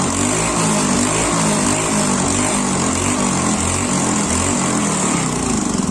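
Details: Honda Beat injection scooter that would not start and stalled on the road, after fuel pump repair: a steady, even idle with a smooth low pulse and no misses or stumbles; the engine holds a stable idle again.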